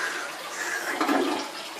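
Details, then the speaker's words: Toilet after clearing a clog with a toilet auger: a strong rushing flush pulls into a full gurgling siphon and drains quickly without backing up; bowl clear, complete normal flush. "You want to make sure you get a complete flush cycle. Get a complete suction. You got to hear that, and you know that it's really flushing."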